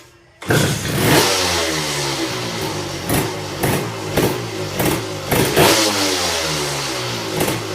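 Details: Kawasaki Tecate KXT250 two-stroke on a near-cold start after a new coil and fuel petcock. Starts at once into a crisp idle, blipped up and back several times, revving cleanly.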